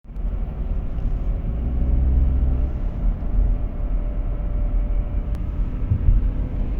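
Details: Audi A4 B8 Avant while driving: a deep, droning rumble that swells and fades with road speed, with nothing sharp. A worn wheel bearing, replaced with an FAG wheel bearing repair set.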